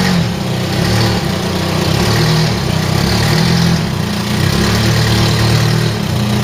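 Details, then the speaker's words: Ford Mk3 Cortina four-cylinder, sat in a field since 1983, running again after points filed and petrol pumped through: steady even low burble, no stumbles or misses, normal running. "and it started clock sprung into life the car does not want to die and tell you that much listen to this for a motor"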